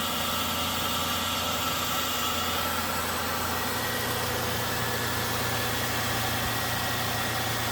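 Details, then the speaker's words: 2002 Toyota Tacoma SR5 TRD Off Road, 3.4L DOHC V6 with a K&N cold air intake and automatic: a steady, even idle hum with no misses, ticks or knocks. It runs very smoothly, a normal idle. "as you can hear very smooth running once again"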